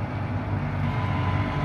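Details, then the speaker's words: Volvo EC480D excavator diesel: starts fine but after 10–20 seconds of operating, rpm drops to idle; steady low rumble at idle with no rise while the boom lifts, engine not responding to hydraulic load. "I show you can say the pocket is going up but here the RPM is not increasing RPM is still there I'm operating the machine but RPM is not increasing"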